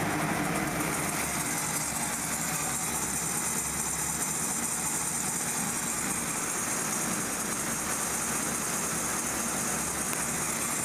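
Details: 1998 Kia Sephia 1.8 L DOHC four-cylinder, check engine light on: idle lopes unevenly with an irregularly stumbling beat; one cylinder misfiring through a carbon-tracked, leaking long-reach spark plug wire boot.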